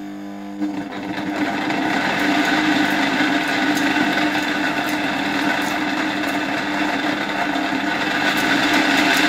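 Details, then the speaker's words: 1958 East German Omega type 1064 vacuum cleaner, original EM 87/50 K motor on a variac: spins up to a rough whine with a gritty uneven rumble and faint irregular ticks; badly worn motor bearings. "jak widzicie silnik działa aczkolwiek nie chodzi zbyt ładnie są tutaj jednak już mocno zużyte te łożyska w silniku"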